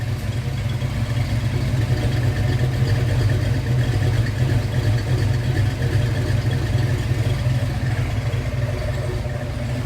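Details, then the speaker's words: Engine with a new Anderson B21 cam, after lifters pumped up and quieted: deep steady idle rumble with no lifter tick or clatter, settled and healthy; the cam is muffled by the exhaust. "We got to free this thing up because you can hear the cam, but you can't hear it as good as we really want to."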